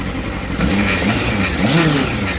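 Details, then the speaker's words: 2003 Honda Hornet 600 inline-four, cold start, not pre-warmed, choke on. It revs up and settles cleanly with an even exhaust note rising and falling with throttle, no rattles or knocks: healthy engine. "now listen to the engine no explains or rattles it doesn't involve it doesn't water as they shouldn't"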